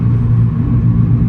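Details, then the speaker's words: Renault Clio 3 RS 197 coasting at speed with clutch held, after front suspension work: deep steady drone loudest on the left; owner believes the left wheel bearing needs replacing, unconfirmed. "There is a huge humming sound coming from the left side. And it's just telling me that the left wheel bearing needs to be replaced."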